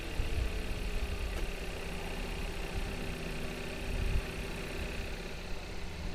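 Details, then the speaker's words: 2018 Kia Rio S right after an oil change, where it's unclear where the old oil went: the engine starts and settles into a steady, even idle with a low hum and no ticking or knocking. The mechanic warned it might sound clicky briefly. Normal idle. "Go ahead and fire it up. Just make sure it's, yeah, you know, it might sound clicky for a minute."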